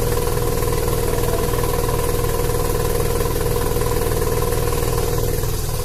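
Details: Mazda Savanna RX-7 SA22C with a turbocharged 13B rotary engine misfiring under boost: a rhythmic stutter at about four beats a second. Cause unknown.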